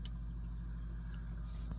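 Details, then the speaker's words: 4K UltraHD Blu-ray disc in a cheap LG UP970 player, after adding two heavy pieces of tape to offset imbalance: low, steady hum with no wobble or rattle; smooth, quiet disc spin. "We can already hear an improvement, but I could probably do a little better. Now listen to it. It is dramatic. That disc sounds like it's perfectly balanced,"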